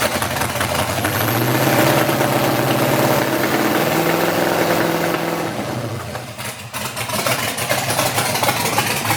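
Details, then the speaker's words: LS-swapped S10 with new Hooker Blackheart 3-inch exhaust, fuel pressure 57–60 psi, new O2 sensors swapped with Bank 2 problem persisting: V8 idle stumbles with an uneven, lumpy, wavering beat. Rough idle, cause undetermined. "I would start it, but the thing runs absolutely terrible. So I'm just gonna leave it as is."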